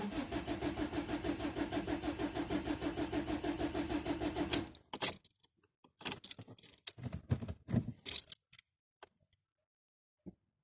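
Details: Ford Mondeo Mk4 1.8 TDCi diesel cold start: long rhythmic cranking over four seconds before the engine barely catches, then stops; hard cold start, cause unknown.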